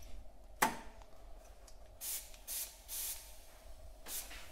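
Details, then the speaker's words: Turbo LS drag car with a standard LS1 throttle body, in a boost-leak test at about 10 psi with the turbo blocked off and the idle air control valve sealed. Short airy hisses: pressurised air escaping past the throttle body shaft. "There's a bit coming out around the shaft by the looks of it on the throttle body. I can hear it hissing."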